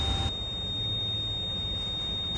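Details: 2010 Toyota FJ Cruiser, ignition on, codes C1251/C1256 persisting, two dash lights and intermittent brakes: steady, unbroken high-pitched buzz, continuous ABS warning buzzer from worn ABS pump motor carbon brushes.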